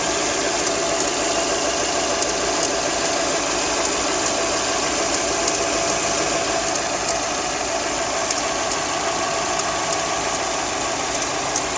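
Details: Hyundai i30 engine on cold start: light, sharp ticks a few times a second over a steady idle, slightly irregular, heard only when the engine is cold; source still unclear.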